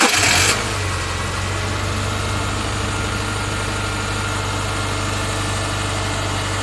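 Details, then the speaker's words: 2002 Subaru Forester after the pulley was replaced and the belts retensioned: brief crank, then a steady, even idle with no squeal, chirp or rattle from the front. Noise fixed. "We'll have to put the shrouds back on here in a minute, but I'm gonna have her start it, and then I'll show you how it doesn't make any more noise."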